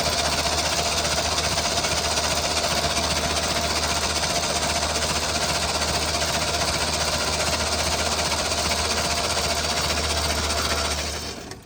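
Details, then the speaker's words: Holden HQ one-tonner off the road 29 years, starter solenoid contacts just cleaned: even, rhythmic cranking at about two and a half beats a second that holds steady, then winds down; turns over freely, owner thinks plugs and ignition needed. "oh oh she turns so pretty smooth I reckon we need some spark plugs and some ignition system"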